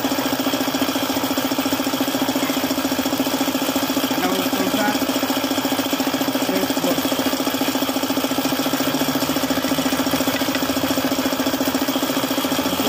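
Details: Suzuki F6A engine at idle: steady, even knocking about three per second, caused by a failed oil pump no longer working.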